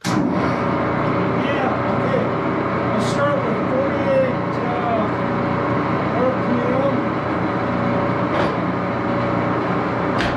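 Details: Axelson 14x30 heavy-duty gear head lathe with AW68 hydraulic oil in the headstock, started and run through its speeds: a loud, steady gear whirr with constant mesh hum and a few light handling clunks. A noisy but sound gearbox, normal running.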